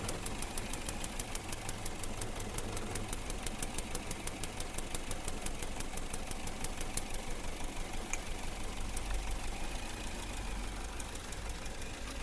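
Uneven idle with sharp ticks about three a second and an irregular stumble in the beat, consistent with a misfiring cylinder.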